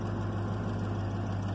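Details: 1996 Chevrolet Caprice idling after installing a passkey bypass module (50 Hz signal to PCM fuel-enable wire), no key fault shown: even low hum with no stumbles or ticks; settled, healthy idle.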